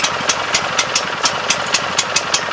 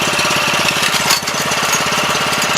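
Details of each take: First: 7 HP Kohler air-cooled engine on a hydraulic power unit, unrun for at least two years, after carburetor cleaning: crisp, regular popping about four per second while cranking, then catches into a steady, even run; fires and idles cleanly. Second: 7 HP Kohler air-cooled engine on a small hydraulic power unit, first run after two years idle and carb cleaning: fast, even idle pulse with loose rattly edge; unit shakes and walks off, looks like it needs new feet.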